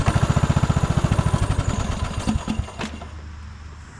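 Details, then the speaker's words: 1998 Craftsman LT1000 lawn tractor, about 28 years old, just started: slow loping thumps three to four per second stumbling unevenly; idle seems very low and rough, owner suspects carburetor trouble. "Um and it doesn't want to idle perfectly. Although it does sound like the idle is very low. So, you know, best case scenario, just bump up the idle a little bit."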